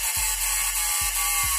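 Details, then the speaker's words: Dongah Elcom SPS260 power supply unit whose output drops and lamp blinks at switch-on: irregular dry clicks over an electrical hiss. This is relay chattering, not the transformer; the soft-start relay is not vibrating. "Sepertinya itu bukan getaran dari trafo Sepertinya itu merupakan getaran dari relay nah di bawah sana itu ada dua buah relay dan relay itu yang terdengar bergetar"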